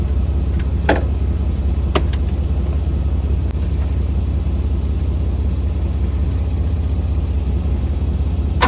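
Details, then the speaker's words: 1985 Mercedes W126 SEC long stored, jumped from another car with starting fluid: starter churns steadily two to three beats a second for nine seconds, never catches; cranks no start, owner suspects fuel pump or fuel pump relay. "Well, I guess the fuel pump leaks out, or might be the fuel pump relay."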